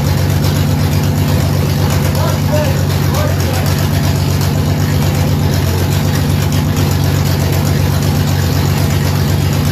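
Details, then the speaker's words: 1967 Ford Mustang under restoration, V8, after earlier running trouble: deep, loud rumble holding a steady idle with no stumbles, misses or knocks; engine runs properly on restart. "okay that time it ran and ran good so we're going to start it up one more time"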